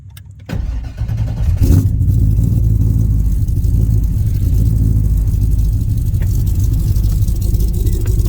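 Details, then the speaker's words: Chevy S10 with swapped small-block Chevy V8 on fuel injection, Holley dash: short crank before firing, then a deep, uneven, wandering rumble. Hard starting; owner unsure whether fuel injection or low fuel pressure is the cause. "Actually, I've been having trouble starting it because I don't know if it's the fuel injection or what's going on, if it's not building enough fuel pressure."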